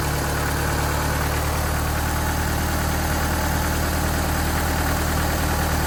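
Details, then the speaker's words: 1986 Dodge Daytona Turbo Z Shelby after the idle was bumped up: even, steady idle with a constant low hum and no surging or misfire; some smoke; a loose plug found on cylinder 2. "well that's pretty darn smooth right there"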